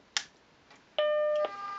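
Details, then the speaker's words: Macintosh 512k with 64k ROMs retrofitted with a 1985 GCC HyperDrive internal 10MB hard disk: power switch click, one clean half-second startup bong, then soft hum as the drive fires up, spins up and begins booting; normal startup chime. "we hear the startup bong you can hear the drive fire up the drive spins up it starts booting"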